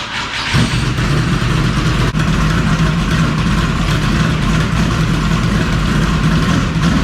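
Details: V8 after installing new Multi-Fire performance spark plug wires: fires quickly, then holds a loud, lumpy but even idle with no misfires or mechanical clatter; engine healthy.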